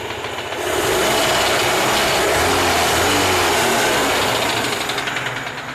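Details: Moskvich UZAM 412 engine at idle: a fast, hard tapping stays constant over the running engine; engine knock from inside the engine.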